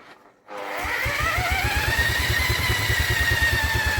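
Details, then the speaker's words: Vintage Douglas engine that sat 40 years under a hedge, carburetor re-cleaned, cranked with an electric drill. Steady cranking pulses about three per second with uneven sputters that never catch; owner suspects flooding. "she is definitely trying her best to do something for us isn't it I have a sneaky feeling it's flooding though sneaky feeling it's flooding"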